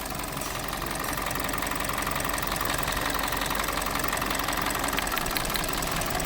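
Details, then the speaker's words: 2020 Hyundai Tucson, 250,000 km, codes P0171/P2187, fuel economy 3-4 km/l: the petrol engine idles roughly and noisily with an uneven pulsing beat, a misfire from a shorted, taped ignition coil; the spark plugs were black from running rich. "एक तो इंजन की बहुत आवाज़ है, दूसरा इसकी इंजन कोयल जो है वो शॉर्ट है।"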